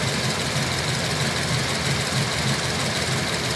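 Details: LS3 V8 with a JRE 445 street cam package and ARH long-tube headers with high-flow cats. Light, slightly uneven ticking about three times a second over the lumpy cammed idle; owner suspects lifter tick, unconfirmed.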